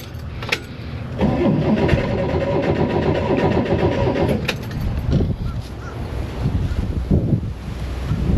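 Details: 1967–69 Corvair that sat for years and was stored outside: a steady starter churn about four beats a second that never catches. The fuel pump pulls 5 in of vacuum; suspected no fuel, a line problem or a tank restriction.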